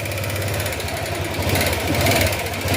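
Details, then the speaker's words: Honda Click 125 V3 scooter, smoky right after a prior repair, idling: loud, fast, even top-end ticking; worn valve guide, the cause of the smoke. "Tapos sobrang malakitik. Tanggalin natin to para mas klaro yung tunog."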